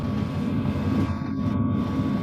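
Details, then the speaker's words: Birch RV diesel heater set to medium 2,500 W output, drawing roughly 25–26 W (fluctuating 19–33 W). Steady low roar with constant tone, no misfires or surging; normal running. "Well, I've now adjusted the diesel heater right here to the medium range. That means we are now at 2,500 W of power."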